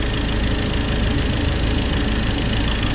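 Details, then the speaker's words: Ford Ranger diesel, about 300,000+ km, after crank and cam sensor replacement and injector work: rough, low clatter at a throttle-held fast idle right after fuel bleeding; air still in the fuel system keeps it from idling on its own. "เอ้าเิดแล้วนะครับแต่ต้องเลี้ยงคันเร่งไว้หน่อยนึงนะ"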